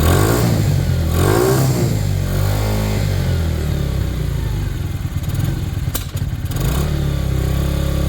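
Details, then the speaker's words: Sinnis Harrier after a Hanway carb conversion, choke off. The small single picks up cleanly through a few quick blips and drops back to a steady idle without stumbling; the carb sounds right and runs normally. "How good does that sound, guys? That's choke off."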